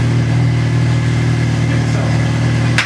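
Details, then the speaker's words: VW Corrado just after a new supercharger install: steady even low idle hum with no squeal or whine, without the earlier squeak blamed on a dry bearing; supercharger and engine sound healthy at idle. "supercharger sounds healthier. Everything sounds healthy. It is."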